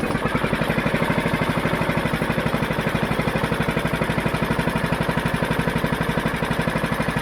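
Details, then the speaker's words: Mountfield HP414 petrol mower that ran then died and surged, fixed by cleaning the dirty carburettor; even, steady thump with no hunting or surging, revs up cleanly; clean healthy idle. "I think to be running a lot better [Music] now not down it's not revving it's not going all over the place at all"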